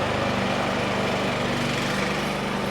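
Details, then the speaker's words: Craftsman Select 26 snow blower (model 31AM6C2FB93, engine 675-WUB) after flushing old fuel, at about half throttle: steady, even single-cylinder drone with no misses or surging, with a little smoke probably from burning off leftover bad fuel. "okay so we're back up and running that little bit of smoke that you may have seen coming out the muffler is probably just excess bad fuel that was in there and it just has to burn it out"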